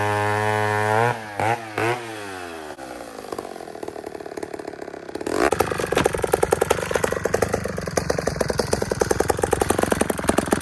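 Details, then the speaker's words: Old chainsaw after carburetor repair, short bar fitted: settles from a smooth rev into a hard, steady cut with rapid even firing and chain clatter through wood; runs strong and clean. "So, it cut deadly. I almost feel like throwing a longer bar on it."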